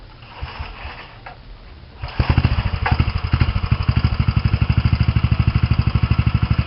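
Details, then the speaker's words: Mini bike engine with a new homemade six-chamber muffler: quick, even thumping idle with a faint light tick on each beat; owner suspects one valve has too much clearance. "so yeah you could hear the tick of the motor now i think one of the valves got too much gap in between them but it works okay"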